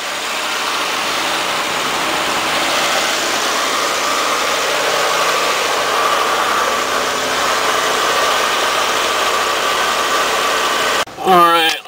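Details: Pontiac Firebird with LT1 engine, under 100,000 miles, first start after sitting six months, jump-started due to a weak battery from alarm parasitic drain: steady, even idle with no misses, knocks or ticks; normal idle.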